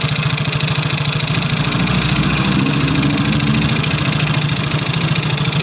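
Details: Yamaha Soul GT scooter: loud, uneven idle with coarse mechanical rattle. Engine oil was found empty from chronically late oil changes.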